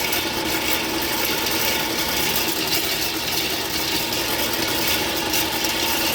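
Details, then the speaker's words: Sewer drain that backed up again three weeks after a previous clog, being cabled: steady metallic whirring and chattering rattle as the cable grinds through hard scale until the line clears. Drain blocked with scale; hydrojetting was recommended. "I told them it's full of scale, they need to hydrojet it."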